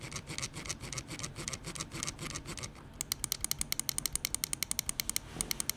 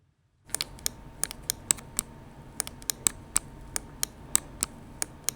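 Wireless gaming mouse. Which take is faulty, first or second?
second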